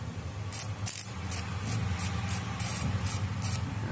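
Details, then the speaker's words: Homemade fish stunner converted from contact-breaker points to relay type, before connecting to the bucket: quick irregular crackling ticks, about three a second, over a low hum; points chattering normally. "kedengaran ya dari suaranya dari platina kita."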